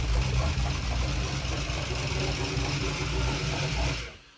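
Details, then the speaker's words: Junkyard-rebuilt LS (LM7) for El Camino swap, first startup on engine test stand with Holley Terminator EFI, no coolant or water pump, fuel leak present: low steady V8 rumble at even idle before cutoff; runs fine, only briefly. "all right I like that it runs oh my God it [Laughter] runs"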